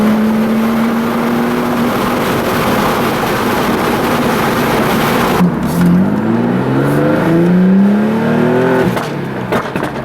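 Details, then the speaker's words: Tuned Audi B5 S4 after fixing a boost leak (loose throttle body boot caused check engine light and 5 psi limp mode), faults cleared; strong pull, rising and falling revs with overrun pops and bangs echoing in a parking garage — normal. "After fixing that throttle body boot leak and making sure everything was good. It runs awesome, and its pops and bangs are ridiculous. It's so loud in that parking garage, it's crazy."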